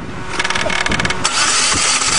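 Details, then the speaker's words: Geo engine deliberately destroyed with gravel: starter spins it fast and evenly with a light, unloaded rattle and no compression strokes. No compression. "no compression we've done her in yeah i think so"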